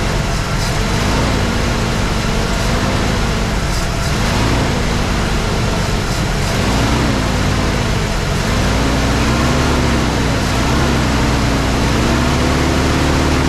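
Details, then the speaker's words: 1983 Mercury Capri RS, first start after sitting since 2013, rebuilt carburettor, new fuel filter: idle hunts up and down every second or two, dipping near stalling, no knocking or smoke; rough idle, choke suspected. "she's having a little bit of a hard time idling i don't know if that's because the choke n"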